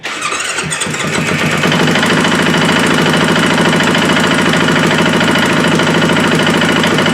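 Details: KTM 450 XC-W, previously blown up in water with a home-done top end, now pressurizing its cooling system (head gasket leak). It fires up to a quick, slightly uneven idle with an odd mechanical clatter and some smoke, possibly running rich.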